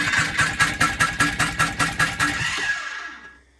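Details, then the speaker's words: 1986 Polaris Trail Boss 250 ATV cranking on a compression test, throttle held open, carb removed: labored, uneven chugs about 2.5 per second fading out. "test number two and that sounds like my battery is really weak so I'm going to put the charger back on"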